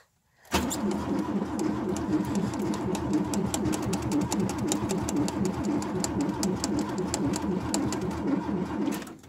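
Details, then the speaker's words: Ford Taunus after a freezing night, iced inside and out, battery reads full: starter turns the engine over at a steady, even pace for several seconds but it never catches; cold crank-no-start, cause not confirmed. "Evet arkadaşlar araç buz tutmuş. Maalesef çalıştıramıyoruz."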